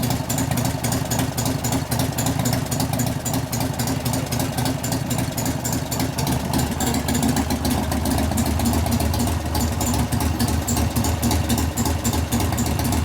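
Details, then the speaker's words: 1988 Harley-Davidson FXR V-twin idling during lifter noise diagnosis with pushrod adjustment and cam change. A steady tapping knock about three to four per second, louder at the rear lifters as it warms: lifter knock. "as it's warming up it's making more and more knocks because donors are growing"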